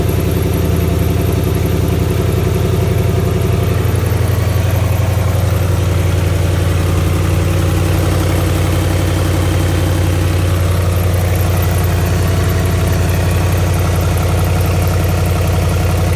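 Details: 2008 Ford Mustang GT with 4.6L V8 idling with a loud, steady ticking over the low engine rumble, about four ticks a second; cause unknown, owner seeking help.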